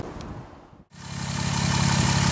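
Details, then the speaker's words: 2007 Jeep Wrangler JK Unlimited on 37-inch tires, after installing a hydro assist steering system with a PSC reservoir/filter combo: cranks, catches and settles into a steady even idle with no squealing or odd noises from the steering pump; normal idle. "but as you can hear there's no squealing no weird ass noises going"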